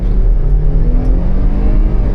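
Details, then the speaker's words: 2017 vehicle with 107,000 miles, test-driven at a dealer auction, heard from the cabin: deep, smooth rumble pulling evenly under throttle with no knocks, rattles or whines; a healthy engine accelerating. "She scoots. She feels healthy. No weird sounds, no crazy"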